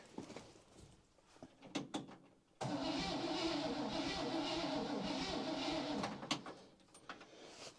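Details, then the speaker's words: 1960 Chevy Brookwood wagon engine, sat 20+ years, with rebuilt carb and starter cable refitted: steady, strong crank about four turns a second for three seconds, no firing, before points, condenser, cap and rotor replacement; cranks much better than before. "I shouldn't say it cranks over nice but it cranks over a lot better than it"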